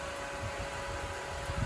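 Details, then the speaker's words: 10-inch fan normally run at 9 V, overdriven at 12 V from a USB battery or solar generator, drawing about 8 to 9 watts: steady fan rush with fixed motor tone near 600 Hz and strong air noise, noticeably louder than at 9 V. "Now we're gonna jump it into 12. You can just hear the difference. Okay, that wind is kicking."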